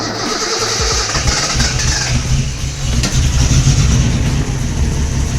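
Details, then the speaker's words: Cold car on first start, idle not yet readjusted after setting ignition timing: sluggish starter at about four beats a second before the engine catches and revs; slow cranking, battery a little dead per owner, needs warming up. "There we go. It's a little slow on the start, but it started. Yeah, battery's a little dead."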